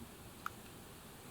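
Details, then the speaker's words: Olympus PEN Mini E-PM2 camera after IBIS repair: one short, sharp click at shutdown, the stabilizer parking sound the camera always made; normal power-off click. "We turn it off. We can hear a sound, but that is normal. It always did that."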